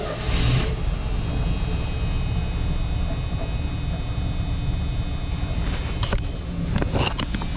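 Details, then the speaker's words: 1984 Dodge Ram automatic, sitting in snow, started after voltage regulator replacement: engine catches and settles into a steady, even low rumble with no knocks, misses or surging; runs normally. "So, right in the middle though. Runs pretty good. I can't believe this is an automatic."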